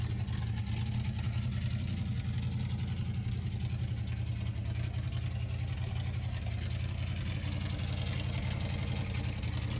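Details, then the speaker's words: 1979 Ford F150 after a carburetor rebuild: deep V8 idle holding on its own but uneven and loping. The owner suspects an ignition misfire from coils not fully plugged on. Reseating all spark plug boots and setting float height later improved it. "it's also weird it seems like I'm having a like ignition issue like a misfire I don't know if maybe one of these coils or couple of these coils aren't plugged fully on"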